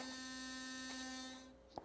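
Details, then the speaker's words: Sonicare 9900 Prestige toothbrush drive unit running outside its handle: steady high rapid vibration buzz that sounds rattly only because it's removed; normal, won't rattle once reinstalled (rattle fault was a loose screw). "It sounds kind of rattly. It's just vibrating very rapidly. So it sounds like it's rattling, but when it's put back in, it won't be rattling."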